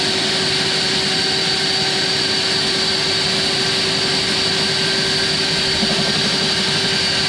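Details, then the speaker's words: Eco magnet drill after fitting a new motor and new bearings, first power-on test: smooth, even high-speed whine at constant pitch, no grinding, rumble or crackle; runs very well, sounds good. "Beautiful. Work very well. I'm very happy. Sound good."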